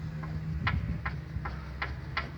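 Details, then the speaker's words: Del Rey rear suspension: loose rear shock absorber mount knocking over bumps, sharp regular clicks nearly three a second as it rocks; fixed by tightening it. "na cada vez que o carro passava entre a fundação dá um barulho aqui porque estava solto"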